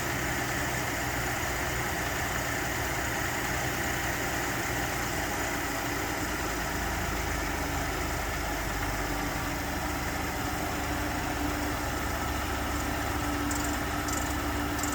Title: 2019 F-150 3.5 Ecoboost cam phaser rattle cold start